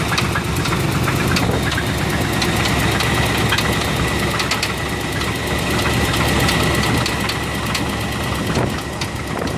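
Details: 1985 Chevrolet Silverado K10 pickup with its third 305 V8 idling with a loose, steady knock through the rumble; the cause is still being diagnosed.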